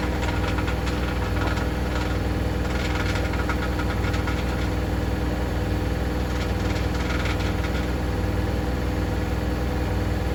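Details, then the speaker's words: Hoover DynamicNext DXOA410C3 10 kg 1400-spin washing machine, reported loud on spin: fast drone with clusters of tinny rattling ticks, believed caused by a £1 coin trapped under the heater element. "sounds like something stuck in the drum um that's going to be fun trying to get that out then unless it was s in the filter I don't know"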